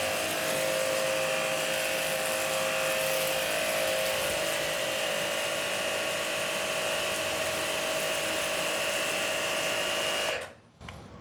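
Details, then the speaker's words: Hanabi JBD 8003 pressure washer, 127V induction motor, 60 bar: steady high motor drone with quick even pump pulse until shut-off, louder than the first-version Hanabi; running normally after bleeding air from the hose. "Mesdames et Messieurs, voici ce que nous avons déjà constaté ici. C'est parce qu'il fait plus de bruit. plus encore que Hanabi de la première version, celle-là petite fille noire."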